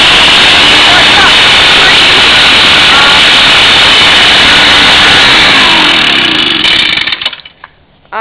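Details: Echo backpack leaf blower, slightly warm start on choke: high, raspy two-stroke howl holds steady and strong for several seconds, then winds down cleanly; engine running healthy.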